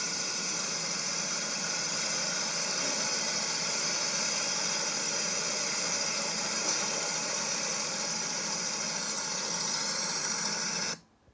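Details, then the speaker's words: 1970 Chevrolet C-10 V8: a faint, steady, even idle under heavy hiss, with no misfire or knock; it sounds normal. "this is a video i had uh found on my computer you can hear running a little"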